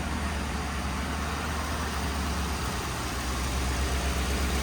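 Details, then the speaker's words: 1966 Ford F100 on a 2010 Crown Victoria chassis, fuel pump cut off via the inertia switch and running on a little squirt of fuel: a low, uneven idle that wavers and stumbles, about to stall from fuel starvation. "sounds like she's getting ready to die"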